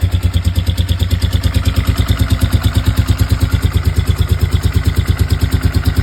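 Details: Kawasaki ER6 parallel twin at idle: lumpy, uneven pulse about three times a second from one cylinder misfiring; owner suspects compression loss (piston or rings) or electrics, not yet confirmed.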